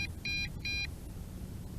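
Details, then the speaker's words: MJX Bugs 3 Pro GPS drone returning home after the roughly 1 km distance failsafe, battery at two bars: two clear, high, short beeps about a fifth of a second apart, the first-phase low-voltage return-to-home warning. "you know what that beep is that beep is the first phase of low voltage so initially we got the maximum distance failsafe return to home now the first phase of low voltage return to home kicked in"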